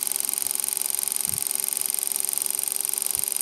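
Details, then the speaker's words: Lens-assisted generator pulse motor run by a fixed reed switch instead of a transistor, two magnets removed: light regular ticking about four times a second over a faint high whine. "as you can hear the little ra relays clicking along nicely won't have to do any RPM testing today because you'll hear that start click faster"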